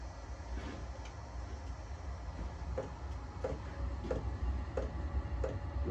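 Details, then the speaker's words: Vevor Chinese diesel heater on 12 V, freshly primed: soft low burner rumble with crisp fuel pump tick about twice a second as the burner lights, slight exhaust smoke on startup. Normal running. "That's done. There it comes back. Sounds like the burner's on."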